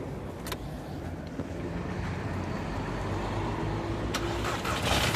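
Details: 2006 Audi A3 2.0 TFSI (8P): rough-running engine with uneven knock and stumble at idle, shaking and intermittent power loss, check engine light; code shows cylinder 4 misfire, dealer suggests coils and spark plugs; owner fears lifters, chain tensioner or cam follower.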